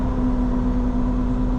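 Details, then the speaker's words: Lamborghini Diablo under load: a steady mid-pitched groan over the engine note, fading with slow shifts; moan suspected from a restriction or leak in the exhaust, accessories ruled out, not confirmed. "there's that noise and it's not any of the accessories and the wizards checked all this it's a moan out of the exhaust somewhere like it's restricted and blowing through like a reed or you know a leak somewhere i just can't find it"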